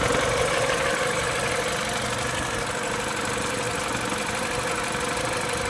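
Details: MINI with N12 engine at cold idle: busy, fairly regular ticking about three per second over the engine hum; owner unsure whether this is normal for an N12, source not identified.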